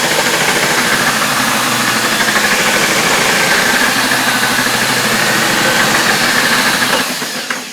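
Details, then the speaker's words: Hoover F3871 three-brush suction floor polisher, first run after unboxing, brushes very stiff to turn, smelling. Steady motor whir with a fast, uneven clatter about three rattles a second; something loose inside, cause unconfirmed. "There is something rattling about inside which isn't go"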